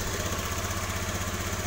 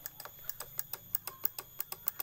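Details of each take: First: Honda BeAT FI scooter with ACG starter, after repairing the broken ACG coil wire that caused relay clicking: even, steady putter with a smooth low beat and no clicks or misses; normal idle. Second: Honda BeAT FI scooter with ACG starter: rapid sharp relay clicking near the battery, about six per second, with no cranking; a known-good battery gave the same result; traced to the relay output to the ACG system or its control unit.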